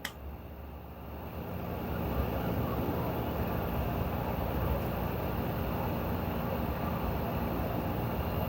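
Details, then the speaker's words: LG washer (2020+ model) in diagnostic test mode, drum spinning anticlockwise up to about 1,200 rpm: steady even drum rumble builds then holds smooth, no knocks or scraping; normal high-speed spin. "we can increase the RPM until 1,2 now I'm going to press third one now it will increase you can hear the noise"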